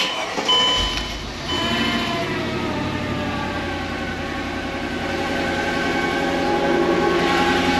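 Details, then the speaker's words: Mercedes E55 AMG W211, M113K supercharged V8 at 210,000 km, first start after new Bosch injectors, MAP sensor and thermostat, with no coolant in the system: uneven, lumpy idle; missing on one cylinder, cause not yet found. "We are missing on one cylinder by the sounds of it and feel of it."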